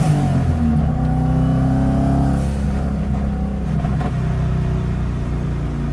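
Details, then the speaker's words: WRX-engine-swapped VW Beetle (about 300 hp, 17½ psi boost) after a fuel filter replacement, hot on a road test: strong, clean pull under road noise with no stumble or hesitation; normal acceleration, fuel pressure reaching 60 psi under boost. "It pulls hard. It runs great. It sounds good."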